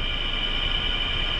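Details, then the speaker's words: LG Multi V indoor air handler leaking water, with the unit turned back on: a steady high-pitched screech from worn fan motor bearings. "You hear that screeching? That's the fan motor. That's the bearings on the fan motor."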